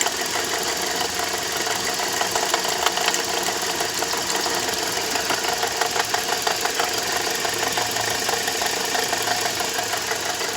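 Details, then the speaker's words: Toyota Corolla 150 at idle: steady rapid clatter, about three knocks a second, first suspected to be the water pump, which proved fine; the alternator overrunning clutch pulley is cracked with heavy play. "сейчас скину ремень генератора в общем услышал стук бряк похожие такое было когда помпа сломалась"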